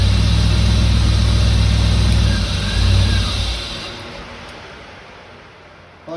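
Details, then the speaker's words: 1989 Firebird Formula 350 tuned port injection, 10,000 miles, long stored: catches on sprayed cleaner, rumbles a few seconds, winds down and dies; most likely plugged injectors, to verify with noid light. "This won't run with that. What she's getting this. Most likely those injectors are plugged up."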